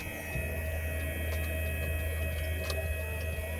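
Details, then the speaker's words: 2008 Mercedes CL63 AMG dynamic seat air pump, newly replaced: steady hum that never cycles off, with a hiss near the trunk side; stops when unplugged. Suspected air leak in a line, so pressure never builds. "I definitely feel air around here. When I unplug this, it stops. Okay. Sounds like it's around here. Can hear a hiss somewhere."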